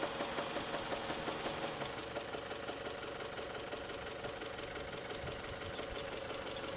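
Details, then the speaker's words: Toyota 3S-FE engine at warm idle, knock appearing after warm-up: sharp metallic tapping about three per second that fades to barely audible and returns, inconsistent; source unknown. "Сейчас вот притих. Опять вот потихо. Тишина тут стучит. Вот, тишина. Еле-еле слышно подстукивание. И непостоянный он."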